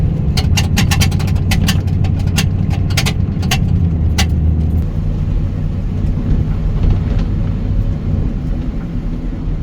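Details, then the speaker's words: 2001 Ford F250 after rear door repair welding door front and back halves: steady road rumble and engine drone while driving, light ticks early, no door rattle or screech; repair successful. "now we're going to give the door a wiggle and see if we still hear that noise okay nothing there"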